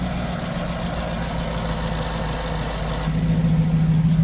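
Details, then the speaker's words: Jaguar XK after replacing fuel injectors, still with fault codes and heavy exhaust smoke: lumpy uneven beat about three pulses a second, getting louder; rough running because 9-10 litres of oil were diluted with petrol, suffocating the engine. "So it turns out the engine was full of petrol. I took about 9 to 10 litres of oil out of it, and it had the consistency of petrol, stank of petrol. So the reason why all that smoke was coming out was petrol in the oil, suffocating the engine."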